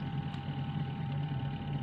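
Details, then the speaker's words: Akari AWM-12SK washing machine spin motor (dinamo spin) only hums and won't turn, even after corroded wire joints were redone and the original capacitor (from a Sharp machine) was replaced with a new one; steady electrical hum, no spin-up. "dinamo Spin masih tetap tidak mau berputar ini cuma terdengar suara dengung"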